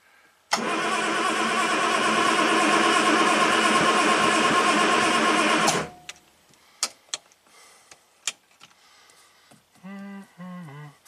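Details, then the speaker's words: 1967 Triumph GT6 parked since 1999, after fresh oil change and starting fluid, no choke, full throttle: brisk, even cranking at about three beats a second, then stops without firing; oil light went off but compression doubted; cranks but won't start. "Alright, we'll be back tomorrow to get this thing running. We're close."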